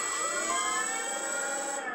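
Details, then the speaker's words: ArduPlane quadplane VTOL lift motor tested at default 5% throttle for about two seconds: clean steady high-pitched whine at one even pitch then cutting off, similar rpm to the others, correct direction; normal motor spin. "we're getting a similar sounding noise so it sounds like they're doing the correct rpm we don't have any indifferences so far we don't have motor starting and motors not starting"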